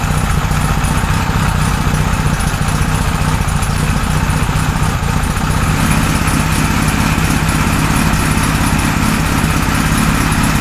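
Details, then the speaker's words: 1978 Kawasaki Z1-R four-cylinder on the stand after re-jetting (20 and 117.5) and vacuum re-sync on a Carbtune Pro: steady, even low idle, no misses or hunting; normal idle with evenly balanced carbs. "but that's pretty damn good um I like that a lot we've got uh pretty even balancing now"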